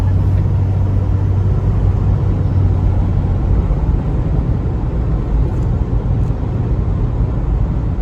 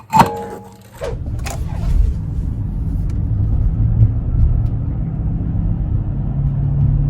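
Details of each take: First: 2004 Chevy Trailblazer LS EXT 4x4 4.2L after replacing the front wheel hubs, coasting downhill on test drive: a steady low road rumble with no hum building with speed; the earlier front-passenger hub hum is gone. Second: 2004 Chevy Trailblazer LS EXT 4x4, 4.2L six-cylinder, driving on the spare tire: low, steady hum and slight vibration changing with road speed from the front passenger side; tire ruled out, worn wheel hub bearing suspected, hubs replaced.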